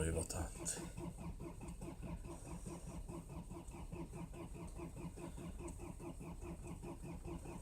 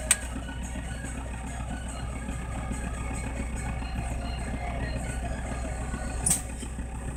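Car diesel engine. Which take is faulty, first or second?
first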